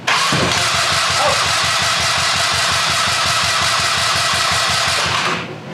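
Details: American Sportsworks Carbide 5150 go-kart with a GY6 150cc engine, first fire-up after replacing the starter clutch (one-way bearing); it previously wouldn't crank. Catches and settles into a fast, even buzzing run with no misses or knocks, then cuts off. Healthy start.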